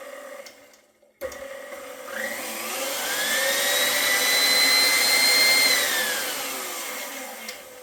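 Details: KitchenAid stand mixer after its first-ever gearbox regrease with food-grade grease, previously showing light clicking: the motor whine climbs as the speed regulator is turned up, holds, then eases off, no grinding; sounds a little better at highest speed.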